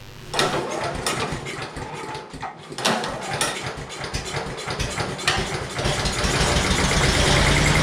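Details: Honda-engine blower that came in not running, after compression check, fresh fuel run through and repair: pull starts catch and it fires up, settling into a steady, even run with no misses; healthy normal running.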